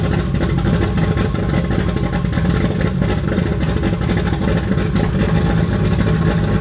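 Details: Toyota 2JZ turbo six in a Holden VL Commodore, first run in eight years after wiring work; rough choppy revving with an uneven stumbling beat under exhaust roar, one cylinder dead; misfire.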